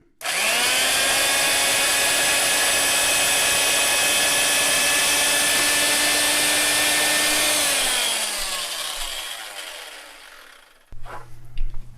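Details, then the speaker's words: Vintage Fein ASG 658 tapper tapping a hole in tapping gear with self-correcting ball joint; steady high motor whine holding pitch under load, then smooth wind-down as the tap finishes: normal tapping, clean thread. "as soon as you hear that that that shaft go in now you're actually in the tapping gear so we'll go ahead and just try tapping it"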